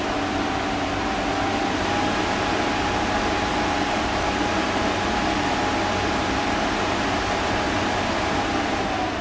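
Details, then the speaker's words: Wahoo Kickr Headwind fan at low settings (6–15%): steady airy whoosh with faint thin hum, no rattle or scrape; noise owner first thought faulty, but Wahoo support says it is normal. "the headwind moves a lot of air even in the lower settings most of the time i am in a range between 6 and 15 percent but at that range you can hear this strange noise when i used that device the first time i thought this was a faulty product but wahoo support told me it works like it should"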